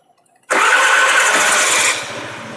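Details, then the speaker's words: Honda Lead scooter after a complete repair with replacement parts for engine damage from a badly done earlier job: quick clean start, then a soft, even, very quiet idle with no rattle or clatter, before a road test. "super silenciosa vamos fazer aqui um teste de Rodagem para encerrar o vídeo"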